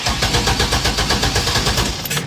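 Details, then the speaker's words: 2000 Chevy Astro van with prior crank no-start, after sensor replacement, fuel added and battery charged: quick steady cranking about two seconds, then fires and settles; now starts normally. "But yeah, it turns on now after the changer sense."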